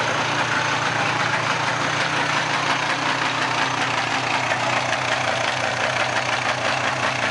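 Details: 1995 Polaris 400 two-stroke ATV revived from parts, freshly started and warming up: crisp, busy note holding steady idle with no misses or surging; normal running, smoky from oil in crankcase.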